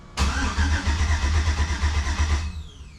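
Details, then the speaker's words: Jeep TJ with 5.3 V8 swap, first fire-up after pre-oiling, fuel pump heard priming but cutting off when start is pressed: steady low chugging crank about three beats a second, never catches; crank no start. "Fuel pump's on. You guys might be able to hear that. Cranking."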